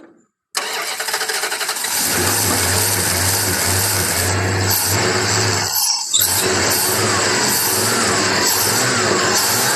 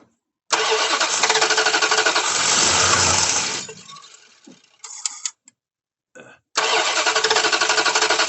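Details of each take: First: Old V8, sitting about two years and suspected of a misfire, running: it catches after a cranking stumble, then settles into a steady, even beat with no skipping; not missing. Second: The 88 cranking while owners look for fuel spray; the starter churns steadily, about three turns a second, but the engine never catches; no gas is seen coming out, so no fuel is delivered.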